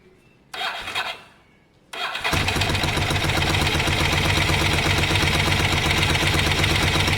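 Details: Ducati desmo twin (Monster) after home timing/cam belt change, first start: two cranking bursts, then catches and holds a steady even idle with regular firing, no slapping or ticking, running healthy.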